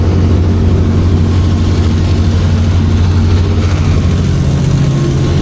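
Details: 200 kW rental diesel generator, 6.7L, 600V mode, at full load on a load bank: 192 amps, 192°F coolant, 42 psi oil pressure. Deep, steady drone with even firing and no knocks or misses; normal, healthy full-load running.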